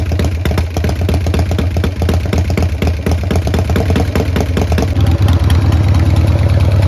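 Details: Restored 1990 Harley-Davidson Sportster 883 Evo, first start after restoration: fires, stumbles a few seconds on uneven beats, then settles into a smoother lumpy idle; running fine.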